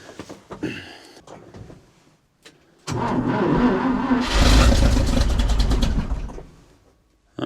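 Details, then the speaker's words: 1968 International Loadstar 1800 with a V8, sat for months and likely out of gas: fuel added, jump pack showing 12.3 V on a weak battery. The starter spins steadily with a couple of near-catches but it never runs. "That sounds like she wants to run. Not sure why my jump box can't help me a little more than that."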